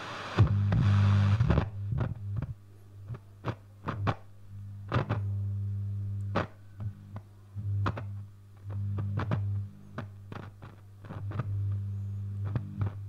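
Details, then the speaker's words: Loewe-Opta Magnet 3737W tube radio under restoration, after oscillator repair, near full 220 V: FM band with a little antenna gives only low steady hum, hiss and scattered clicks and crackles, no station received; AM/medium wave works, FM may have a similar problem. "still getting nothing try a little antenna in here on the FM [Music] that sounds like reception except it's not picking anything up there so we may have similar problem"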